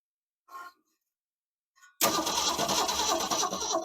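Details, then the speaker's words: 1969 Ford Falcon parked since 1985, first revival attempt: starter churns the engine evenly around three beats per second but it never catches; spark confirmed strong, cranks without starting. "That's well going to turn on the ignition. We'll crank it over and see if we get sparks."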